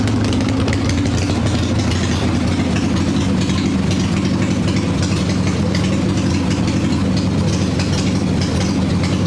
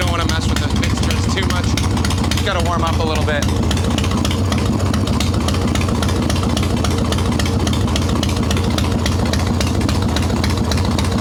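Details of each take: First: Harley Evo Softail V-twin, warm, choke plate removed, carb bouncing, mixture screw seated: idle lopes unevenly with stumbling beats; lean stumble from intake air leak, as loose intake bolts and a cracked vacuum cap were found. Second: Harley-Davidson Evo Softail, carbureted, ice-cold engine after fixing intake air leaks (loose intake bolts, cracked vacuum cap, idle speed screw), no choke, mixture screw untuned: steady even V-twin idle with regular lumpy beat, no misses or hunting; normal idle.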